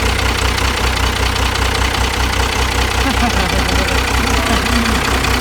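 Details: First-generation Dodge after rewiring: even, low rumbling idle with a steady beat and no misses or knocks; the engine is settled and running cleanly.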